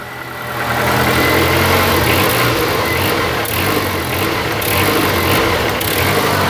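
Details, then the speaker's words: Honda Accord with low power and stalling on acceleration: the engine rises on a throttle blip, then sags and stumbles and would stall if held. Bogging caused by reversed TPS and MAP sensor connectors. "if I would hold that Throttle Down it would have stalled"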